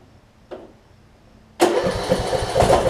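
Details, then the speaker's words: Craftsman T2200 riding mower, 5-6 years old, 19 hp Briggs & Stratton, after cleaning gel-gummed Nikki carburetor that caused surging: short crank, then even, steady idle with no surging; normal idle. "hopefully we have a much smoother running and a little bit quieter uh engine"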